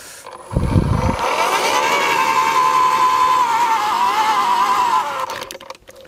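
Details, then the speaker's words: AEG (Ridgid) 2x18V 4Ah battery post hole borer digging, batteries down to one bar each: high motor whine holds a few seconds, then sags in pitch as it bites into clay; tool starting to struggle and bog. "tool is starting to struggle we're down to one bar on each battery"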